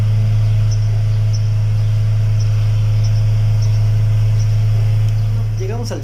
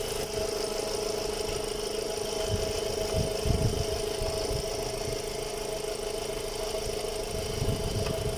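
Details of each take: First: VW Gol 1.6 after replacing failed cylinder 3 ignition coil (had misfire, power loss, knocking, EPC and check lights), codes cleared: strong steady low hum, even pitch, no stumbles; smooth even idle. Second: VW Gol 1.6 with power loss, EPC and check lights on, cylinder 3 misfire code: uneven, stumbling idle with irregular low thumps as one cylinder drops out; spark plug wire has spark, diagnosed as failed ignition coil.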